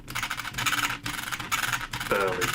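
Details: Ftx Outback Geo RC car during axle housing replacement: dry rasping bursts in rhythm with each hand turn, scraping grind like gear teeth catching; owner suspects worn teeth on the plastic gear, not confirmed.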